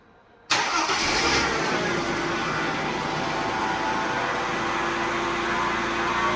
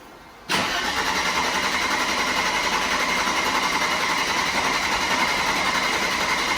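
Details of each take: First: Mercedes 124 after replacing the leaking fuel pump, now at operating pressure with no leaks, rear muffler leaking: short crank, catches immediately and settles to a smooth, steady idle; healthy start after repair. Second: Mercedes W124 started hot after cranking spell, then steady idle; hard hot start, owner suspects leaking fuel injectors or failed accumulator, not yet diagnosed; car has a rebuilt fuel distributor.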